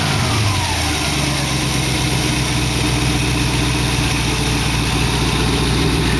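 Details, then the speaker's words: Dual-quad carbureted V8 in a 1914 vehicle build. Smooth, even idle with a steady low rumble and no surging or missing. Sounds a lot better and is no longer pouring gas. Normal idle. "Sounds a lot better. Adjustment here. Well, I think I got it fixed."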